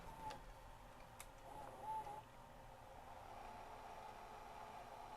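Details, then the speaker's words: Sony DCR-TRV310 Digital8 NTSC camcorder, which the customer said rewinds slowly; microphone moved close during rewind. A faint, steady motor whir holds an even speed with no bogging or slowing, so the tape rewind is normal. "but here's the sound I'm moving my microphone over here I don't hear it bogging or slowing down or stressing too terribly much"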